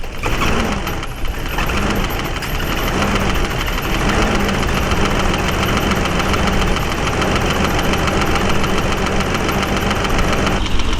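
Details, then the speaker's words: BMW 535i, high mileage, basic maintenance done: steady idle with fast, light ticking over the engine; owner calls it valve noise that could be adjusted, likely loose valve clearance but unconfirmed. "All right, now I got it fired up. Gotta love all that valve noise, eh? Apparently those can be adjusted, but it's not gonna happen with this car."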